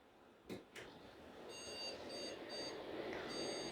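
High-pitched short beeps repeat continuously at startup with nothing else running, the motherboard's memory fault code for a RAM problem.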